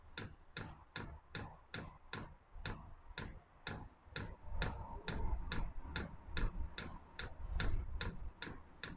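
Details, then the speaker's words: Chinese diesel air heater (Webasto-type) during startup, which may take 4–5 minutes: crisp, even ticks two or three a second over a low hum, the fuel dosing pump pulsing normally to feed the combustion chamber. "ah là on entend la pompe normalement la pompe là elle est censée alimenter le corps de"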